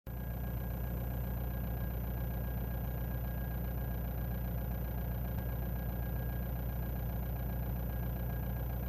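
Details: Ford Mondeo 2.0 TDDI diesel, cold engine at idle: thin, steady whine holding one pitch regardless of rpm, which goes away once the car warms up; cause unknown.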